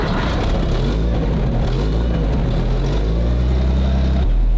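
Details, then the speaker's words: Early Cold War armored car with Jaguar XK six-cylinder petrol engine, fuel pump running, in neutral: deep, steady, even idle with no misfires or knocks, not yet warmed up; burst into life well, very smooth normal idle. "Very smooth. >> Yeah, it is. Yeah, especially once it warms up a bit. But that's good. It burst into life really well."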